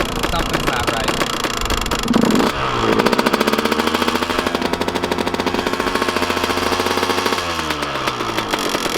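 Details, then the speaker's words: Kawasaki KX125 two-stroke at idle after riding: a sharp, rattly tick rides on the exhaust pops and fades when the throttle is blipped; top-end tick of unknown cause, with a teardown planned. "but it definitely doesn't sound too healthy but then it kind of goes away when i wrap it but on idle it's definitely"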